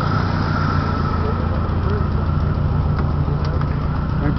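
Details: 1993 Saturn SW2 in park, no check engine light, low on power: a deep, uneven idle with a lumpy, stumbling pulse; rough idle with misfire.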